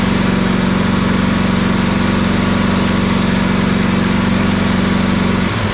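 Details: Toro Titan MX4880 zero-turn with Kawasaki engine, good battery installed, regulator charging 13.93 volts: steady, even drone with regular firing beat, no misses or knocks. Normal running.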